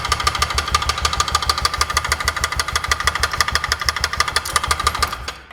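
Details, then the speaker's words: 2004 Polaris Ranger 6x6 UTV after cam swap: sharp metallic knocks about three per second over the idle, tracking engine speed; piston striking the cylinder head, suspected to be a faulty head gasket that seemed off during installation. "As far as I could tell, I actually think it's the head gasket itself."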